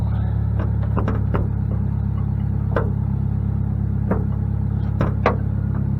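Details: 2006 Saturn Ion Redline with 116,602 miles, started and idling: a loud raw rumble with a rough, puffing edge on every firing pulse from a major exhaust leak.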